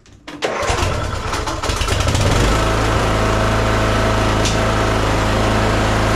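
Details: Troy-Bilt Bronco 42-inch riding mower, Kohler Courage 19, after fixing surging and stalling following an aftermarket carburetor install: brief crank, catches within a second, settles into smooth, even running with no surging; like new.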